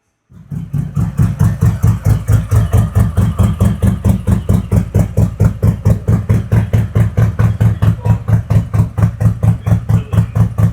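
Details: 2021 Harley-Davidson Road Glide 114 after a CR483 cam install with ThunderMax EFI, Trask header, S&S intake and 5.5 injectors; the mufflers took on a different tone. Loud, lumpy V-twin idle with even, deep pulses about two a second; the engine runs cleanly.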